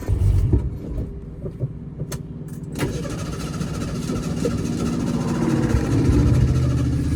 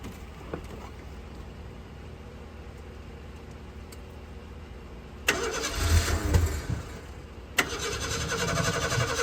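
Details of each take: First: 1976 Ford Pinto after fuel pump was rigged with wiring run over the hood, pump not bad: a few clicks and bumps, then engine catches into a steady low hum that gradually builds; running fine. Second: 1976 Ford Pinto that shut off on highway with 2 gallons fuel in tank: starter churns unevenly a couple of seconds, ragged firing fails to hold; hard start. Owner suspects choke sucking shut, burnt fuel pump or disconnected wiring.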